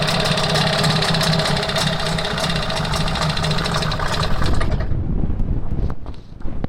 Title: Стук в моторе непонятный